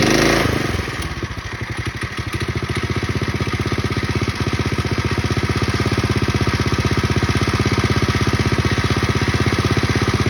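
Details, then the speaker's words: Pacesetter Trailbuck mini bike with a new torque converter on the jackshaft, before the converter's setup was changed: a steady single-cylinder thump that barely builds; it won't climb to speed or accelerate, the converter slipping. "Okay, I got back from the ride and it didn't go very well. It wouldn't climb up to speed and it wouldn't accelerate well, and it's doing pretty much the same thing as it did before."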